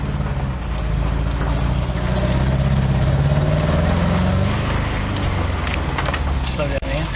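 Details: Nissan N13 Pulsar/Sunny with CA18DE engine that has developed a coil problem: it runs lumpy with an uneven, stumbling beat under a steady low drone, sounding like it is on three cylinders.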